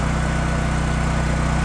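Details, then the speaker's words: Champion dual-fuel portable generator, weekly run, full choke on non-ethanol gasoline, set on a slight slope: smooth even low hum with steady beat, no misses or knocks; charges its battery, normal idle. "So we're going to let it run. It charges the battery."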